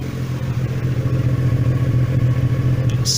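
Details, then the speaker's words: VW T3/T25 Vanagon with Subaru H6 3.0 swap, warm after the starter motor was replaced: even, steady idle with a smooth low drone and no hunting, much more stable than before; owner suspects the old starter caused the erratic idle. "it's much more stable and idle. Amazing what changing the starter motor has done for it, actually."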